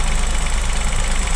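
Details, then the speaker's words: 2023 Chevrolet Onix LT turbo manual, cold engine idling after first morning start, hood open: rough uneven rumble and faint knocking when the brake pedal is pressed. Mechanic said normal; owner suspects a brake-related fault, source undetermined. "Pessoal, esse barulho é quando o carro tá frio. Aí pisa no freio."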